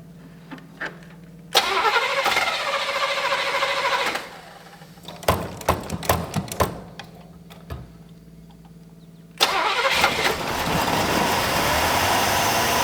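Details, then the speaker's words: 1965 Buick LeSabre V8 first start after sitting since 1989, fresh oil and fuel, choke not staying on: cranks, catches and runs unevenly with sharp bangs; runs lean, owner suspects blown power valve. "laughs okay I think we got like a is there like a blown power valve or something it's running lean and it's also just bam combusting"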